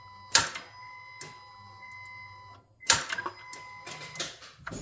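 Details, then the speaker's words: Honda Pilot/Odyssey 3.5L starter tested on a jumper wire with a good battery: sharp metallic clicks from the starter solenoid, but the motor doesn't spin. The solenoid engages and disengages, and its hold-in coil is suspected of not holding. "all right so you see was just a clicking sound clicking sound on that solenoid"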